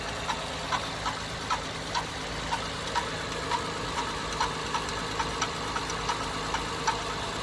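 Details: 2011 Acura TL 3.7 SH-AWD, cold idle: sharp uneven tap about twice a second above the engine hum, less prevalent after driving up to temperature; began days ago, dealership could not identify the cause.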